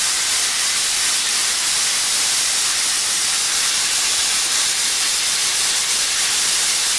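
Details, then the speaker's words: New Campbell Hausfeld 20-gallon twin-cylinder air compressor under pressure: steady high-pitched hiss, confirmed by soap-and-water bubbles, from air leaking at a poorly sealed plumbing fitting. "that's because that soap and water are still there and it's leaking right there"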